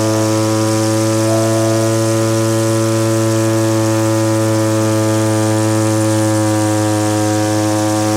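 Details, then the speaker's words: Stihl BG50 handheld blower, ethanol-fuel water contamination: steady high buzz at full throttle with uneven burbling, two-stroking noticeably; mixture needs leaning, but not to max speed. Rich carburetor mixture. "The setting I have right now, it's two-stroking quite a bit. I want a more lean mix."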